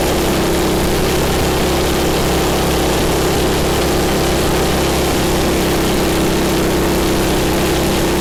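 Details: MTD snow blower small single-cylinder engine, owner-reported governor issues, after governor spring repositioned and high-speed adjusted: steady, even note at one settled speed with no hunting, surging or misfire; normal running.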